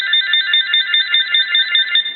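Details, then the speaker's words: GE 6.0 cordless telephone on initial bench checkout with the handset opened up: the piezo buzzer rings from the base and the handset as two separate sounds. It gives a clear high warbling trill pulsing about five times a second, steady and undistorted, so the ringer is normal. "we want to make sure you hear the piezo buzzer here so there's actually two sounds"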